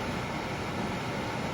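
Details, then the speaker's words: Panasonic WhisperLine FV-30NLF1 remote-mount in-line fan running after motor replacement, bench-tested via surge protector: steady even airy rush with constant low hum, no rattles, blowing great amounts of air; normal running. "And it's blowing great amounts of air."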